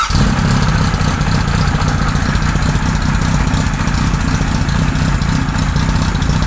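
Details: 1978 Kawasaki Z1-R four-cylinder on the stand after carb tuning with 20 and 117.5 jets and re-sync on a Carbtune Pro: starts straight into quick, even burble, no hunting; normal, evenly balanced idle.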